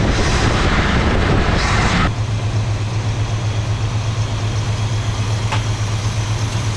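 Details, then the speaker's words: 1974 Plymouth Satellite Sebring Plus V8 back running after 25 years, fresh oil, rebuilt carburetor, new plugs: steady idle with light rhythmic tick about four per second; suspected lifter, hoping it clears as oil circulates. "Sounds like a lifter. Let it run for a little bit, let that oil circulate around. Hopefully that tick goes away."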